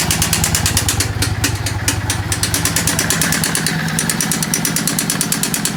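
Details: Yamaha V-Star 650 V-twin motorcycle: lumpy, uneven idle with loud rapid clatter on every beat; really bad engine sound, cause unclear.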